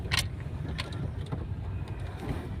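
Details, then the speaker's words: Tata Zest on a test drive over a potholed road under construction, after the suspension noise was diagnosed and fixed: only low road rumble and soft tyre thumps, with none of the earlier thudding or knocks. The front suspension is now quiet. "अब भी बिल्कुल smooth है। Smooth है"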